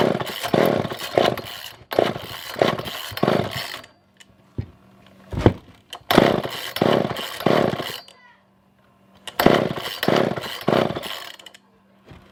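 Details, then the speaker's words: Older Poulan 2000 chainsaw, unused for a long time, choke on: fires in short revving bursts that fade and die every few seconds; suspected poor fuel pickup, later fixed by carb clean and shortening a tangled fuel line. "so yeah so i don't think that we are getting any kind of fuel any kind of real good fuel pickup"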